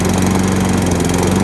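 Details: 2005 Toro Personal Pace recycler mower with a Tecumseh engine, found at the roadside, started after fuel line work and fresh gas: steady, even buzzing drone at constant pitch with no misses or surging; running smoothly.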